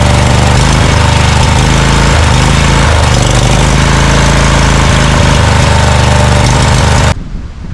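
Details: Scag Cheetah mower with a Briggs & Stratton Intek V-twin: loud, uneven chugging at idle with a lumpy, stumbling beat as one cylinder drops out. Misfire; the left carburetor side is suspected of sucking dirt past the air filter.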